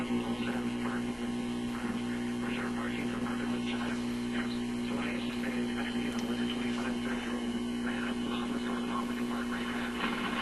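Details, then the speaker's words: RCA Victor 65U radio/record player after replacing the power supply capacitor, tuning stations: steady low buzz under the audio, garbling it; suspected hum getting into the IF, not power-supply hum since it disappears with the volume turned down. "Okay, so that sounds to me like some kind of hum getting into the IF or something of that sort. That's what I imagine when I hear this kind of garbly sound."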